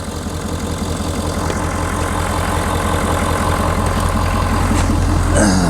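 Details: 2019 Ford F250 6.7L Powerstroke diesel, hot, idling just after an EGR cooler upgrade, outdoors in wind: steady, even clatter over a smooth low rumble with no misses or knocks. Intake sounds good and nothing is leaking, so the idle is normal.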